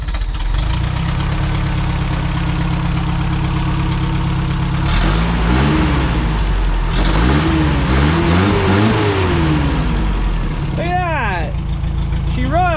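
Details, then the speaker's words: 1987 Toyota 4Runner after engine rebuild, distributor moved one tooth to fix timing, no exhaust system fitted: loud steady open-exhaust idle picking up cleanly on throttle blips, runs well. "She sounds like she runs pretty good. She's obnoxiously loud. This thing has absolutely no exhaust."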